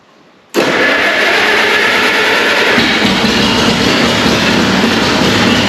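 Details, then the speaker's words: Allis-Chalmers WC tractor: uneven, wavering roar that sags and picks up again; owner believes all cylinders fire, and suspects carburetor mixture; the carburetor is also leaking. "you can hear it's it runs and it doesn't and it runs and it doesn't I'm pretty sure it's firing on all cylinders"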